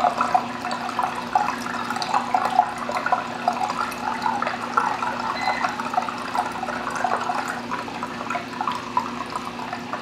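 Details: Bean Animal style aquarium overflow just after the return pump starts: continuous bubbly gurgle as air is sucked out of the siphon line and the level begins dropping, before the full siphon takes over after about 1 to 1.5 minutes. Normal startup gurgle.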